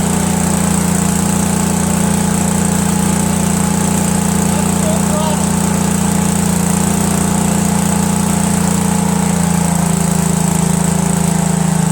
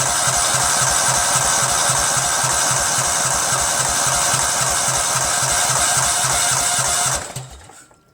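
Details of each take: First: Cub Cadet tractor with a 13 hp Kohler Command CH13 twin, after a new mechanical fuel pump and replacing two stacked carburetor gaskets that caused an air leak: steady even drone, no surging or misses; normal running. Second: Cub Cadet lawn tractor, 13hp Kohler Command CH13, fuel pump output test: steady cranking about four strokes a second without catching; mechanical fuel pump only trickles fuel; crimped fuel line and leaking carb gaskets later found.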